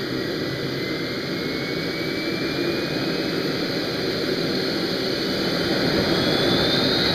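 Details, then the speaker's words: Old AMT air-start RC turbine, started manually with glow, starting air and propane in near-freezing cold: a steady roaring jet rush with a faint rising whistle as it spools up, even and smooth. Normal turbine running. "once you hear it pop you can basically get the air on it full start turning up the propane and it should be ready to go"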